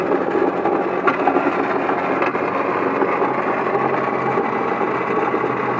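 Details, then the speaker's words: 1997 Honda Accord idling with a loud, uneven rattling grind from the front, pulley side of the engine; likely worn, failed water pump bearings cause the noise. "okay okay we found what the problem is the problem is the uh water pump all that rattling and stuff you heard was the water pump bearings probably went bad and that thing is just terrible man sounds horrible"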